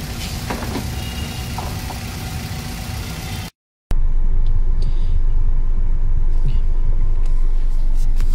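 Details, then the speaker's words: Hyundai Creta petrol after replacing 4 spark plugs and broken ignition coils, which caused shaking and stalling at half clutch: steady even low idle hum, no stumbling or shaking, engine smooth; normal idle. "Engine एकदम smooth झालेलं आहे. Coil ignition coil बदलल्यामुळे गाडी एकदम smooth झालेली आहे."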